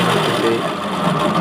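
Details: Easy-bike hub motor making loud noise while running, louder in person; rough gritty whirring with a wavering hum; motor taken apart to show the cause, a worn hub motor bearing.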